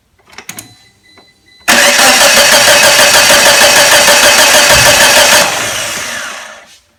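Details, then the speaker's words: 1996 Geo Tracker after a replacement distributor was fitted, spark restored: steady cranking that never catches, then winds down; fuel pump runs; briefly ran then wouldn't restart; misaligned distributor timing. "we got spark back now it ran for a little bit now it doesn't run why why doesn't it run"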